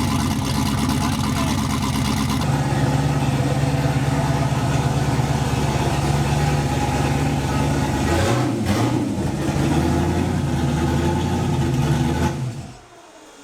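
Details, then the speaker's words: Boosted Chevrolet Malibu after fresh spark plugs replaced black-tipped ones: idles steadier with slight lumpiness and a few blips before shutoff; sounds much better but still pulls tons of fuel at idle, cause unknown. "That sounds way happier, dude. But it's still, something's not right. It still wants to pull tons of fuel for no reason."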